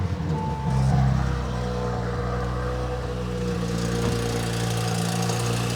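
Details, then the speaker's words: Audi RS5, cold start: blip settling to fast idle with a loose metallic rattle; the part connecting the actuator to the turbo wastegate is rattling, wastegates not stuck open or closed. "It might be a little loud, but it just sounds like metal rattling and it sounds terrible."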